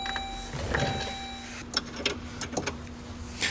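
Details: 2002 Saab 9-5 Turbo passenger window, raised partway during repair of glass that came off its track (retaining clips installed): smooth steady motor hum about 1.5 seconds, then light clicks; window raising normally.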